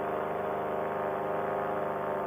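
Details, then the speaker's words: Air Conception Tornado 280 paramotor two-stroke, freshly rebuilt after recall damage, breaking in while climbing toward a 6,200 elevation at partial throttle; steady even high buzz, no dips or stumbles, running smooth: normal part-throttle running. "I don't want to give it full throttle to get there I want to break this engine in nice and gentle"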